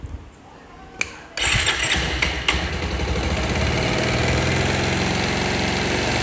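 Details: Bajaj Pulsar single-cylinder bike after piston ring installation for an engine sound problem: a short crank catches quickly and settles into an even, steady idle with no knock or rattle; normal start and idle.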